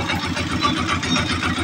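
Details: Honda TMX 125 single-cylinder motorcycle after tune-up, valve cover back on: steady even idle thump, only slight remaining ticking.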